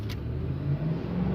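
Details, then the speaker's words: Ford Expedition after injector and throttle body cleaning and new spark plugs for misfire and weak pull: quick throttle snap, revs climb smoothly with no stumble or popping; misfire gone. "Wala na, okay na siya. Okay na natin takbo niya. Wala nang palyado, hindi na palyado ang mga tropa."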